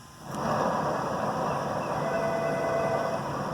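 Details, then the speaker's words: Ford Mustang rear differential carrier bearing spun by hand: steady, rough, gravelly hum with faint ringing; caused a loud roar from the rear while driving; tires and outer axle bearings ruled out, metal found on fill-plug magnet. "it's got a roar I'm you from the back of the vehicle it wasn't tires not axle bearings although they had a little bit of wear but that's the big noise that's off the carrier"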